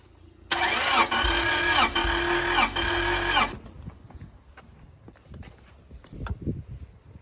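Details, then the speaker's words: Honda Prelude H22 engine off the road 16 years, known non-runner: about three seconds of even starter cranking at roughly four pulses a second with ignition disabled for a compression test; no firing. "Okay, so we are now going to compression test. Yeah, no ignition."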